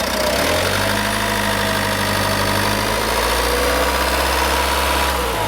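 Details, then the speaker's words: 2007 Ford Mondeo Mk4, 1.8 TDCi 125 hp diesel, 6-speed manual, about 280,000 km, started to show how it runs: steady, even diesel idle with a soft low rumble and light clatter, no knocks or misses; healthy engine. "Acum dacă toți sunt aici, voi porni și motorul ca să auziți cum funcționează și cum toarce."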